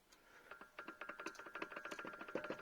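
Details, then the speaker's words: Opel Astra J, driveshaft rocked back and forth by hand: rapid sharp metallic clunks, about ten a second, play somewhere in the driveline; owner hears noises over bumps, struts, mounts and stabilizer links are new. Suspected driveshaft clunk, not confirmed. "привод привод брякает вот если его туда-сюда делаю"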